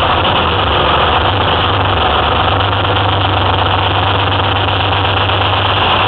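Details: Detroit Diesel 6V53 two-stroke in a 2004 Ford F-350 with Allison MT-653, first start after installing a rebuilt blower (old one leaked at the end-plate oil seals): steady, loud drone at even idle, no knocks, misses or surging; running healthy.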